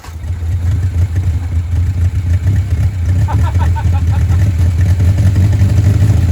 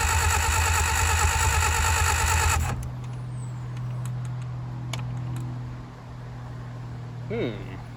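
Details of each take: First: 1959 Reliant Regal Mk5/Mk6 three-wheeler, first run in over 20 years, on full choke: steady deep even engine note, no knocks or misses, oil pressure showing, heavy smoke; running fine on full choke. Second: 1959 Reliant Regal Mk5/Mk6 three-wheeler, not run in 20+ years, starter bendix freed, poor earth connections, distributor top bearing play: steady rhythmic cranking with no firing; no start, ignition points gap too small, then cleaned and readjusted.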